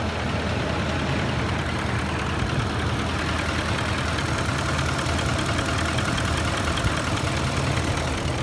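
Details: Ford F150 at idle: a faint, light knock in the rhythm underneath, most noticeable near the end. Owner wonders whether it is the VCT phaser or the chain tensioners; cause unconfirmed.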